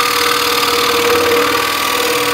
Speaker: machine on and just listen to that it's just purring away a nice quiet machine-ness